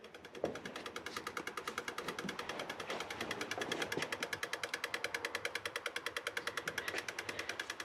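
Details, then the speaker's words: Mk1 Ford Cortina with 1UZ-FE 4.0 litre V8 after sitting, engine off, injector test on number one: crisp even ticking about two per second; injector opening and closing properly, while some others are suspected seized. "this is the injector test and i'm going to do number one now i can just just hear that which was one of the ones that actually does make it work like number three number three works"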